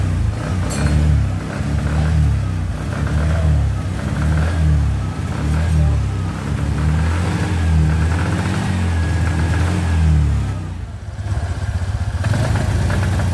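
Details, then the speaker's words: Suzuki Spin 125 with repaired starter and battery and a new spark plug: revs surge and sag in an uneven, stuttering "brebet" as the throttle opens; misfire traced to a missing engine ground cable. "nah ini motor sudah bisa hidup tapi kenyataan sudah saya setel juga itu masih mengalami mbet dan mbetnya itu seperti ini nah seperti ini jadi ketika motor ditarik gas itu suaranya BR seperti itu"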